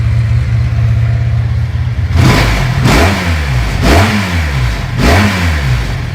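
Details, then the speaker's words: Motorcycle carburetors just synchronized with a Digisync tool, throttle valve screws adjusted and vacuum ports plugged; smooth, even idle between four quick throttle blips that return cleanly, carbs balanced, idling much better than before. "I don't know if you guys can tell or not, but it idles a lot better than it did."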